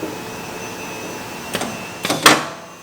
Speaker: when I click the unclamped button there's something stuck in the bar feeder and I've been added for 20 minutes now I'm trying to figure out what's colliding